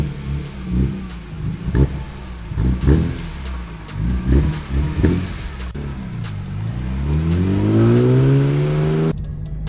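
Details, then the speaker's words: BMW E46 M3 with the S54 engine, on the test drive after rod bearing replacement. The note pulses under load, then pulls cleanly and rises smoothly through the revs with no knocking; it runs very smooth and sounds healthy. "might just be a mental thing but man is the e46 m3 running very smooth"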